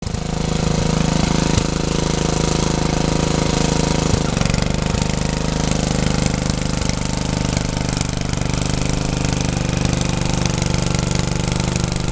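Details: Troy-Bilt tiller test drive after engine rebuild, tilling garden: loud, steady small engine thrums without stalling or surging while tines dig; pulls evenly under load, though owner saw heavy smoke under heavy load and wonders about blow-by past the rings.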